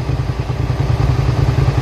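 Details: 2003 Suzuki SV650 V-twin, warm with a new radiator, idling with a steady, even low thump and no ticking or misfire. Temperature cycles about 210-217 as the fan switches on and off. Normal idle.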